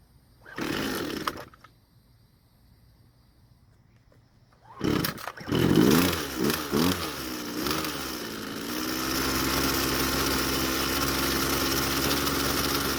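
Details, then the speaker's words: Red string trimmer after the old fuel was replaced with fresh: it pulls over, revs unevenly, then settles to a rough, wavering idle once warm; the low-speed carburetor mixture is too rich. "after replacing the old fuel with some fresh fuel it was running a whole lot better but when it got warm it still didn't want to idle so we'll have to make some changes to take care of that"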